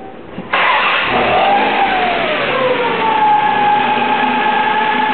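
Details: Ford SHO engine: catches and settles into a fast idle with a clear steady whine on top; accessory belts already removed and whine remains, so not belt-driven.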